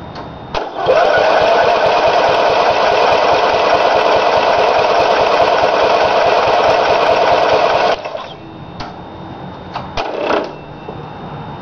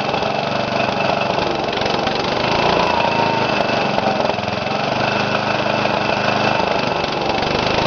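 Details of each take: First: Briggs & Stratton small engine first run after rebuild with new piston rings and gaskets: screams at steady very high speed for seven seconds then cuts out; governor adjusted wrong, causing overspeed, later corrected. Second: Briggs & Stratton single-cylinder after rebuild with new piston rings and gaskets and governor readjusted after overspeeding: steady, even beat at constant speed with no hunting or surging; running properly.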